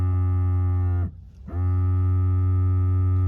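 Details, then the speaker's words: Mercedes GL 550 X164 multicontour seat air compressor, left rear, replacement complete unit refitted: smooth steady low electric hum, brief stop, even restart as it pumps to pressure then cuts off; compressor works normally. "There's the compressor running. So, we know the compressor is good."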